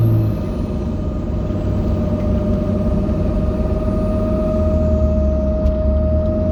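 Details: 2005 Dodge Ram 2500 4x4 Cummins diesel: steady mid-pitched hum with a thin squeal over the diesel's low rumble; cause unknown.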